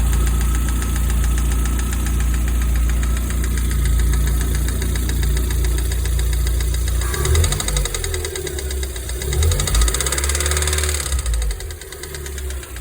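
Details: VAZ 16-valve engine after a major overhaul: rhythmic knocking, roughly three per second at idle, rising and falling as the engine is revved; source inside the engine not yet pinned down.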